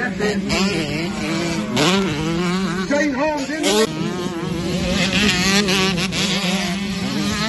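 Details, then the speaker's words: Honda 125 two-stroke motocross bike racing, heard on the GoPro, coughing and spluttering after a few laps under race load, breaking up and stuttering unevenly between pulls; misfire, from an electrical fault that worsened through the moto. "Ran third for a few laps, and the bike just started coughing and spluttering, and you'll hear it on the GoPro."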